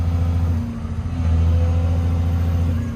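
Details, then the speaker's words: Old 140 digger diesel with about 10,000 hours, hydraulics loading the engine; deep, strong drone that dips briefly under load, then pulls back up cleanly and runs evenly, plenty of power. "It's certainly not lacking in the power department."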